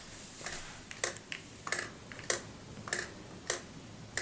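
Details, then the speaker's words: Panasonic DVX100A MiniDV camera tilted by hand: light, irregular clicks about every half second from loose internal tape-mechanism parts shifting; normal rattle, camera not broken. "you can hear that something is rattling on the inside and it's obviously one of the mechanisms inside the camera this is a mini DV camera of course so there's a lot of different mechanisms and stuff in the actual camera itself"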